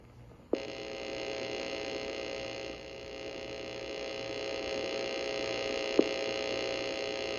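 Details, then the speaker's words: Playback of a test recording on a vintage 1980s Radio Shack TRS-80 cassette recorder with AC bias and external mic: steady buzzy tone with high-pitched whine and no voice; failed recording with heavy interference, owner suspects a faulty mic. "Wow, okay, it didn't even record. We got some serious interference."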